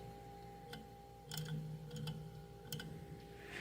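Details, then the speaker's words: Mini beer fridge that had quit and restarted after being smacked: quiet compressor hum with sharp irregular clicks about a second apart; owner suspects the thermostat contacts are bouncing and not fully connecting. "I think those are contacts in there it's kind of weird this diagram so right hand side of the motor it shows um those two things there this uh I don't know this above the springy thing those are contacts so it sounds like those are bucking and bouncing not totally connecting and sometimes they do"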